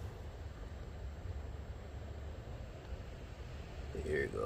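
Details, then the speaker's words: Cummins ISX 15 diesel, after replacing failed throttle actuators (code SPN 3464 FMI 7): low, steady, even rumble with the previous humming noise gone; engine running smoothly. "I'll post all that in the description for the throttle actuator the humming noise is gone"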